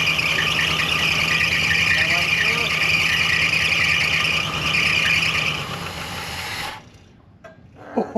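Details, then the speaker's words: 1964 Chrysler Newport V8, off the road since 2004, first run after about 22 years, slight lifter tick; loud, steady, high-pitched squeal over the running engine for several seconds. Power steering pump suspected, cause unconfirmed. "Oh man, the power steering pump is like all jacked up."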